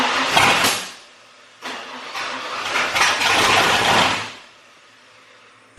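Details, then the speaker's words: Bronco with newly installed FiTech EFI throttle body and new intake manifold, temporary wiring, first start attempt; catches briefly, fades, catches again and dies. Starts then stalls, suspected FiTech setup issue. "it sounds like we have an issue because it's firing and then immediately dying which I've heard a lot about with this fight Tech stuff"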